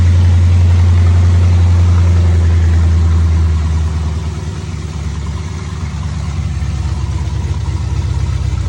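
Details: LS-swapped 1967 Camaro cold start after about four months sitting, fuel primed: deep loud rumble catches, holds high revs, then drops to a steady lumpy idle; engine starts and runs healthy.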